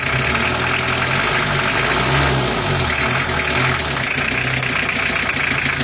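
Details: Restored 1982 Toyota Hiace LH11 2200cc diesel, newly fitted with a turbo and a new transmission, warm at 3/4 (normal) temperature: an even, steady diesel clatter at idle with a low rumble and no knocks or misses; a healthy normal idle.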